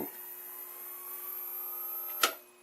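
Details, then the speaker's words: Predicta Tandem II TV under restoration, first power-up, no antenna connected, finger on the antenna input: high thin whistle with a slowly rising tone then a sharp crackle; horizontal oscillator suspected. "that doesn't sound good huh when I put my finger on is the antenna I was starting to pick up a signal and that's when this started making crazy noises so might be an issue with the horizontal oscillator"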